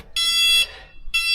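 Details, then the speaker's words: Gio Golf mobility scooter, cover removed, machine put in reverse; round reverse speaker gives two sharp high-pitched beeps about half a second long, roughly a second apart. Normal reverse warning beeper. "This speaker is responsible for the reverse. So let's see here. I'm gonna put machine on the reverse. And this is the one that's making noise."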